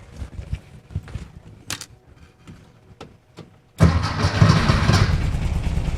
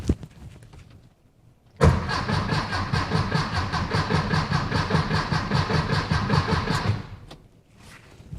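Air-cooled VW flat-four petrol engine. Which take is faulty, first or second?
second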